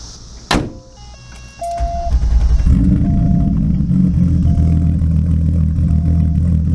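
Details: Mk2 VW 12v VR6 drag car, 276 cams, Mk4 head gasket, titanium retainers, ARP rod bolts and head studs, ported manifolds, 2-to-3-inch Cerakoted exhaust: fires after a short crank, settles into a deep loping chop; normal lumpy cam idle.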